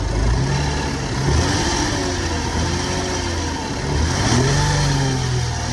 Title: 2006 Lexus is250 Engine Failure (Bad rod bearing or main bearing)